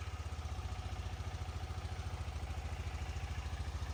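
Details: 2018 KTM Duke 250 left dead for one year, running after fully charging the flat battery to 100% with a smart charger. Steady, even low thumping idle at a regular beat, no misses or clatter; starts and runs cleanly: normal idle.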